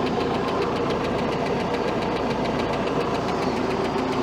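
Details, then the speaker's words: 1967 Starcraft boat with 120hp Mercruiser iron duke engine, timing set about 8 degrees advanced: steady fast top-end tick at smooth idle from one cylinder; owner suspects a stuck lifter or misset valve lash, not confirmed. "Still got a tapping noise up in the top end. I might have to check that out. It could be a stuck lifter."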